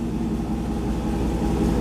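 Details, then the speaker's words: "Junkyard dawg" engine idling after fresh oil with Lucas additive, new spark plugs (old ones burnt) and new filters: steady, even, smooth low rumble with no knocks, misses or hunting; a clean normal idle. "so she sounds really good idling really well hopefully you guys can hear that"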